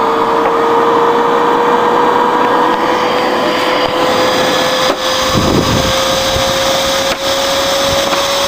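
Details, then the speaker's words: Dell OptiPlex GX280 desktop with the power light staying orange and no boot. A steady, loud jet-like fan roar with a whine slowly climbing in pitch. Its CPU works in another machine, so the fault points to the motherboard. "stayed orange and yeah so so this one sounds like a jet as well imagine having this Dell and that Dell over there both running oh it would be so loud in here holy crap"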